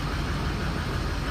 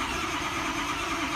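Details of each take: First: Ford truck with about 107,000 miles (ICP sensor in valve cover), warm-up pending: even, steady low diesel idle with no knocks or misses after a no-start diagnosis with an IPR code 26. Possible weak injectors suspected. Normal idle. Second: Truck, about 107,000 miles, ICP sensor in valve cover, key cycled: steady fast cranking that never fires; ICP builds quickly to about 200–290 psi, code points to IPR valve wiring, likely crank no start from IPR circuit fault.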